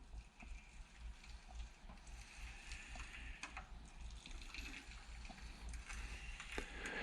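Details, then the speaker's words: 1997 Suzuki RM Showa 49mm conventional closed-chamber fork during reassembly, stroked by hand; a soft, gritty, crunchy slosh as air passes through the shim stacks, piston holes, needle valve and clicker assembly, not yet bled out. "And that's air. So that's air moving through the shim stacks, through the holes in the piston, and also through your needle valve, through the clicker assembly."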